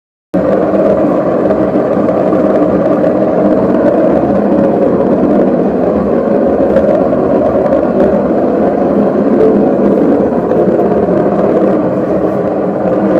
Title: Loud Bearing Noise Fix #washingmachinefix #faultfinding #repair #problemsolving